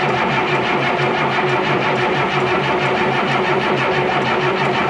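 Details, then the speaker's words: DT466 diesel in an M36A2 military truck: the starter turns the engine at an even pace with no catch or firing. The engine lost its prime and the fuel system is dry. Cranks but no start from fuel starvation. "hey i think we're going to get some fuel up to her she's dry as a bone"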